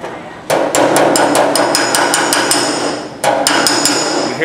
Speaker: dinging that's hammer on Dolly that's what you want trying to slowly raise that M that material up